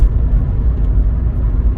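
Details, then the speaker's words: Rhiannon the 45, just fitted with a new head gasket: even, rhythmic cranking with balanced compression but no firing; cranks but won't start, owner suspects an electrical fault since brake cleaner sprayed into the inlet manifold didn't help. "it's not a compression issue because you can hear it going cha cha cha it is an electrical thing I know that because I did actually spray a bit of brake cleaner into the inlet manifold just there"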